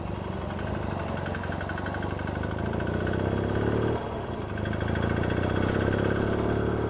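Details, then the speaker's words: Yamaha XS650 chopper, air-cooled twin: light uneven tapping about four a second at idle, worse under load; owner first suspected crank little ends, now suspects worn rockers or shafts and worn, pitted tappets; also exhaust downpipe holes; unconfirmed. "don't if you i don't know if you can hear it or not that tapping for a dodgy uh for dodgy crank it's got a bit of two"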